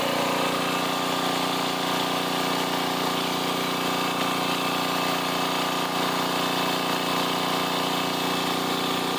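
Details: 1990s Sears Craftsman 2400 W generator after adding fuel and splashing gas in the carb: fires right up and runs with a steady even hum, no misses or surges, powering a tool; normal running.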